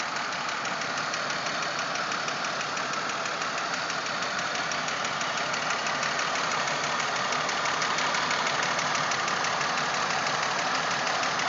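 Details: 1997 Pontiac Grand Prix GTP: a steady knock at idle, about three per second, over the engine hum. The source of the knock is unknown.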